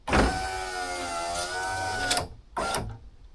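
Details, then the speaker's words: Honda Civic EJ9 hatch, passenger power window just fixed by cleaning the rails and greasing the runner: steady motor whir for about two seconds ending in a soft stop, then a short second run; window moves freely. "Just testing out my new window there. I did. How ironic is this? I've just fixed George's window, the passenger side."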